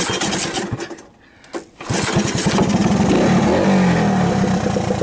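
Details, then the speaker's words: 1980 Honda ATC 110 single-cylinder, already warmed up, after replacing an open-circuit, rust-seized stator: a few ragged cranking pulses, then it catches and settles into an even, steady idle; normal warm start after repair. "Do I have to give a throttle? It's warmed up. I'm going to admit that right up front."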